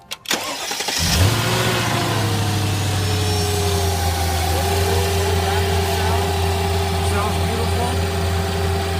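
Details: Mercedes S55 AMG W220 with 5.4 V8 supercharged M113K engine after supercharger pulley bearing replacement: brief crank catches into a steady, smooth V8 idle with a faint, even supercharger whine.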